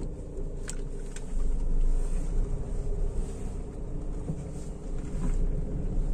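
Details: Honda Amaze that used to make a "kat kat kat" noise on right U-turns, after a gear oil change: a slow full-lock U-turn in first gear, mic taped near the tyre, gives only a low engine and tyre rumble with no clicking. The noise is gone.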